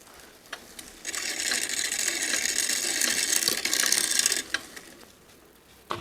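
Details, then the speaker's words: Older Trek 6500 mountain bike rear freehub spinning after a first shot of One Step lube: fast, steady ratcheting clicks, the pawls sticky but starting to loosen. The lubricant inside is gunked up over the years, causing chain slack when pedaled backwards. "wipe it clean I can hear that free Hub starting to loosen up from that first squirter One Step you know that you can see the bike doesn't like being peddled backwards"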